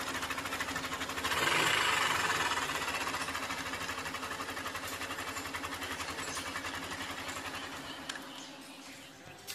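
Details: Yamaha Aerox 155 VVA, after new parts fitted and valve clearances set (0.10), previously rough-sounding: fires up, revs briefly, settles to a quick even idle with light steady ticking; normal running.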